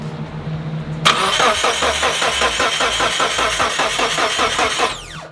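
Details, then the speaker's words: Mitsubishi Evo 8 after clearing codes: steady cranking about four seconds, no catch, then stops; E0335 no crankshaft reference signal at ECU; CAS confirmed set up right, tone wheel on crank questioned. "E0335, no crankshaft reference signal at EFI ECU."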